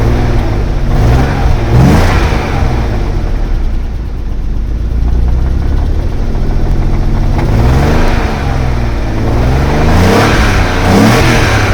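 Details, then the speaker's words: M50B30 stroker BMW six-cylinder petrol engine revving, slightly lumpy at low revs after months unused, with exhaust banging against the underbody; the cat was glowing red and was found blocked and broken apart. "perhaps it's a bit lumpy um on stage like it was you know they seemed to appear a little bit"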